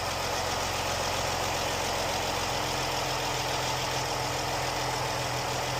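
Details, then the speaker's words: Jeep, warmed up after rocker arm and lifter repair for ticking: smooth, even idle with a steady hum and no tapping or ticking from the top end; healthy. "Alright, this is how it sounds now. It's all warmed up."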